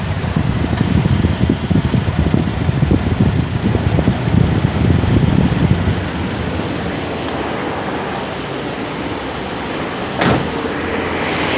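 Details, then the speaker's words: Smart (Mercedes) with rear engine: heavy, rough, uneven roaring whoosh from the front when the AC is switched on, fan tested while loose; faulty electric radiator cooling fan needing replacement. "prende el aire y se amarre a todo hay que cambiar hay que cambiar ese electroventilador"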